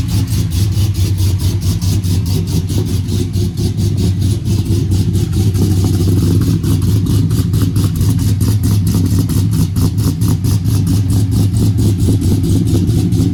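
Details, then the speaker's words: Sierra pickup with LSA supercharged V8 after repairs, now fitted with an oval Magnaflow muffler: deep, loud exhaust rumble with even pulses and light throttle blips, running smoothly; still loud despite the new muffler. "as you can tell it's still loud that's the quietest thing out there"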